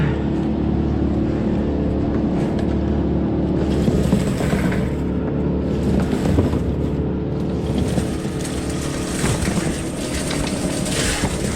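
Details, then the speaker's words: Electric Eel Model C drain cleaner running cable into a house main sewer cleanout: steady motor drone and rattling cable, motor slows briefly as the cable hits a blockage, then recovers as it goes through. "I think it's on something now. I can hear the motor slowing down."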